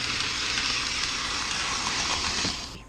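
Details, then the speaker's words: 1994 Lionel RS3 Happy Holidays (6-18837) locomotive running over a paper towel at about 7 volts, 0.4 amps: smooth, even high-pitched whir with a steady hiss that tapers off near the end; running freely and effortlessly. "So, yeah, 7 volts.4 amps. It's running real good, very effortlessly."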